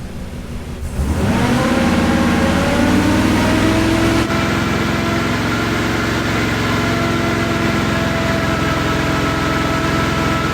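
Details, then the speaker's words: Off-road wrecker V8 on a stopgap exhaust, warming up with no load and water temp at 169, held at raised RPM: steady, even fast idle with no miss or knock. Headers read 400-500, with some running a little colder but still firing. "I'm gonna hold it at a higher RPM to see if that changes."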